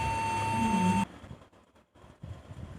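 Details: Laptop at power-on: a single steady high-pitched beep held about a second, then cut off; the cause is not identified.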